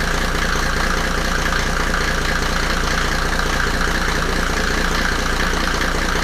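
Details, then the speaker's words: Mercedes W124 OM606 turbo diesel, first start on new battery, no intake manifold, after releasing throttle that caused ~2000 rpm high idle: steady even diesel clatter, regular firing, no nailing or misses; timing concern not borne out; normal diesel idle. "it was loud but everything seems to be fine now and yeah it uh revved um i was worried about the timing that it was off but um so far i didn't hear any nailing"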